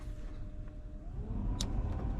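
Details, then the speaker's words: 1978 Chevrolet C10 with A/C, heater blower tested after diagnosis and refitting the plug: the fan hum steps up to a higher speed over a low engine rumble; most speeds work; normal blower operation. "There you go. There's the blower motor. Most speeds operable anyway."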